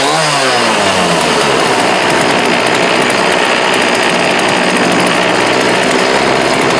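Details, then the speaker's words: Homelite D3850B 18" chainsaw outdoors at about 19°F, after a new carburetor, fuel lines, fuel filter and spark plug: it revs up quickly and holds a loud, steady high-pitched scream without sagging or stumbling. Normal running. "So we replaced the carburetor, the fuel lines, fuel filter. Came with a new spark plug. I went ahead and put the new spark plug in it. Freaking runs great."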